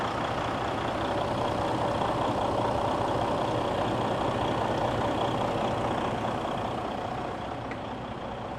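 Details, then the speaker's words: Detroit DD15 diesel truck idling right after a no-start following a fuel filter change, fixed by priming and purging with a priming tool: steady diesel idle with even clatter, no stumbling; left idling about a minute without raising RPM to purge air. "you have the truck started up you want to let it idle okay you don't want to bring up the the hydro I or the RPMs - I let it idle good for about a minute"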